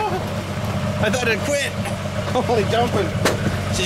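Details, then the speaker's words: Jeep cold start in the first snow, left idling to melt off before road sweeping: an even low rumble held at a steady idle with no knocks or misses. It runs smoothly and quietly. "runs so good you know too she just runs so good she runs so good"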